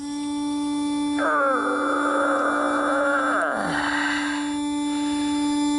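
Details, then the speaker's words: Leak-down test on a brand-new MTD mower's Briggs & Stratton engine, turned by hand, spark plug hose fitted: a steady hooting tone rises over a constant air hum. It is the engine breather; about 5% leakage, a healthy engine. "you wondering what that horn sound is is the breather in the engine"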